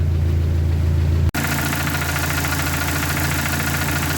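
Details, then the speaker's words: Dodge Neon race car with a replacement engine at idle: light, quick ticking about three a second on top. Valve train noise is unchanged despite all the valve gear being replaced; cause unknown. "Still don't know what to make of that valve train noise. I mean, I've changed all the valve gear in it, and it still makes exactly the same noise."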